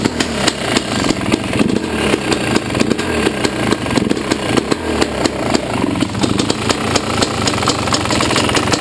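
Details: Yamaha YZ250 two-stroke at idle: sharp, regular ticks ride over a fast, uneven idle; owner heard it could be the power valve or a worn top end needing replacement; cause unconfirmed.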